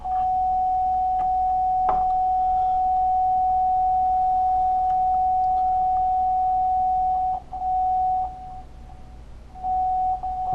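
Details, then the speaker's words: Marshall Lead 12 guitar amp that cuts out after playing a while. The test tone holds, then drops out and stutters back as the input jack is wiggled. Cause is a poor ground at the input jack (jack or ground joint suspected); the ground will be resoldered. "what I found when I was toting around before is that the ground connections here weren't all that great especially this the ground connector coming in here"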